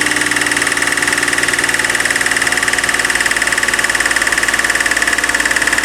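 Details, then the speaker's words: BMW E36 M3 Evo S50B32 on a test stand, first start with factory ECU and EWS II: light steady tapping about three times a second under an even idle, from low in the block; suspected S50B30 windage tray contact. "got a bit of a tap in it bit of a sounds like a a light uh bottom end knock but I don't think it is um suspect it might be the uh 3 l the s50 B30 windage tray"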